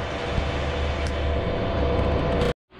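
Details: Whirlpool Cabrio washer model WTW8240YW0, about 8 years old, getting louder by the day: deep steady rumble and low drone under the spin; worn tub bearings, fixed with bearing and seal kit.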